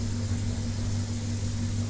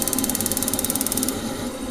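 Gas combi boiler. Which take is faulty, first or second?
second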